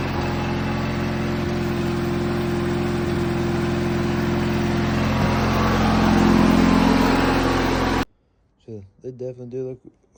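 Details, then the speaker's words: Ranch King riding lawn mower after cleanup, fires right up with headlights working: steady, even twin-cylinder thrum with a smooth throttle rise, no knocks or misses; normal healthy running. "But fires right up. Headlights work."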